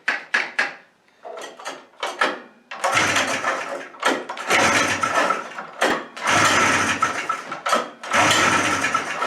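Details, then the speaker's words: Suzuki Fury two-stroke snowmobile, long stored, with suspected ignition trouble and the old CDI wired back in: fires in ragged, stumbling bursts with dropouts and never holds a steady idle; runs very rough, cause unconfirmed. "that's starting off dismal really all right well we wired in the old PDI which seemed to work before but just as bad out deep freeze I mean we were really scraping by here"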